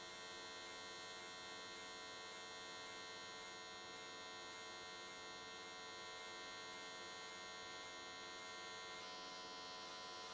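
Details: AC TIG welding an S13 catch can, likely aluminium, at 95 Hz square wave. Steady, even high buzz held for ten seconds with no crackle, pops or sputter. Normal, stable, clean arc, judged a good frequency choice.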